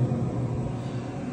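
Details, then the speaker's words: Pit Boss Pro Series 850 grill after replacing the seized auger motor: firing up with a low, steady rumble and even fan hum, no rattles; back in operation. "okay so now after I replaced it everything's [Music] working"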